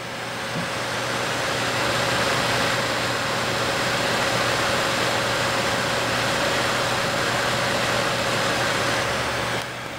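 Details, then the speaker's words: Two Gainward GTX 580 Phantom 3GB cards in SLI under nearly 100% Folding@home load, microphone held close, fans at 80%, top card at 85°: steady airy whoosh with faint hum, no ticking or rattle, normal fan noise. "so this is with the fan speeds at 80% okay so the fan speeds are at 80% at um well the top card is 85°"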